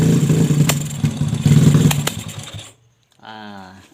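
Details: Yamaha Jupiter Z with bored-up engine, new valves and piston, freshly fitted PE 26 carburetor not yet tuned: picks up then sags and stumbles as throttle opens, dying unevenly like fuel starvation; bogging on acceleration, carb setting suspected.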